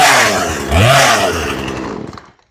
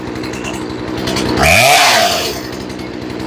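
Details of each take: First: Chainsaw being tuned after a carburetor replacement, with the idle turned up: revs then sags, burbly and muffled as it dies away over two seconds. Too much gas, an over-rich mixture. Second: Chainsaw after carburetor replacement and tuning, cold start after sitting a few hours, reprimed and choke off after first sputter: three crisp rev-ups settling back to a steady idle with no sputter; normal cold running.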